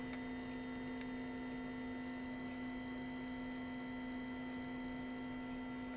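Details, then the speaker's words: Bench test of a cleaned and rewired non-ASR throttle actuator from a 1995 Mercedes S320: after a reset twitch, a steady constant-pitch metallic buzz while energized and holding idle position, normal operation. "you can hear the noise that's one unit is energized and is ready it's working"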